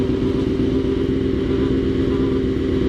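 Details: Honda CBR F4 engine gives a steady drone with a constant mid-pitched tone and a fast, uneven rattle of about four per second; owner suspects the thermostat and notes a burning-water smell, cause unclear.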